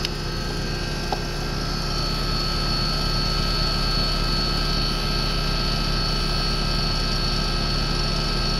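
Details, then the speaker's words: American Standard outdoor condensing unit that keeps tripping its breaker: the compressor hums with a strained, heavy drone and is over-amping. The outdoor fan motor is fine, and beads rattle in the check valve. Compressor overcurrent from a weak run capacitor. "so compressors overhamping the outdoor motor is good let's put it back on here let's check it out again yeah not by a whole bunch but it is over amping"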